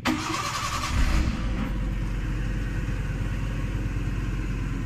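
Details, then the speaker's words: Maruti Suzuki Eeco after the starter repair (solenoid coil burnt by excessive cranking, auto switch replaced): a brief crank catches at once and settles to a steady, even idle with no dragging, clicking or stumbling; normal cranking and start. "দেখেন গাড়ি ভাইজান কথা বলতেই হবে, রাস্তায় শুধু দৌড়বে, বোঝা গেল?"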